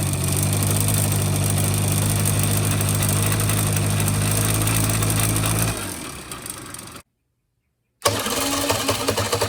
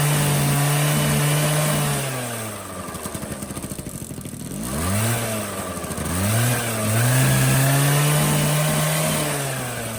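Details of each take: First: 1985 Honda Spree scooter, carb cleaned and fuel lines replaced, idle okay: at full throttle the wheel barely turns as the engine holds a dull, strained drone without climbing, then sags and cuts out; bogging from carbon-clogged muffler. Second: 1985 Honda Spree two-stroke scooter, after burning out a carbon-plugged muffler that caused its no-power bogging: idles crisply, then climbs and drops through several clean revs with no bogging; pulls freely, healthy.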